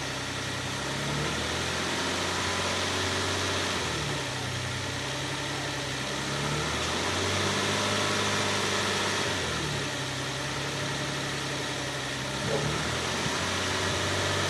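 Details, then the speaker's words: 2006 Nissan Pathfinder after repair: the badly worn secondary timing chain parts on both the left and right banks were replaced with new original parts. It now starts and idles smoothly, with no whistle on start or acceleration. "los dejo con el sonido que se produce ahora que se realizó el mantenimiento"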